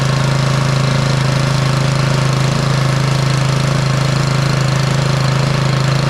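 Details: Bolens snowblower (MTD-built) with Powermore 179cc single-cylinder engine, started on choke after repair of an intake valve stuck from moisture that caused popping and no start; steady, even chugging, no popping or misfires, normal running.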